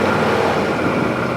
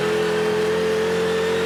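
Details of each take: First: 2017 Odes side-by-side, about 404.7 engine hours, just started: steady, even idle hum around 1600 rpm with no misses, knocks or surging; smooth idle, shifts into gear without issues. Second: 2017 Odes side-by-side in low gear at about 13 mph, steady light throttle: engine note drops out twice and picks back up, cutting in and out; not under full throttle.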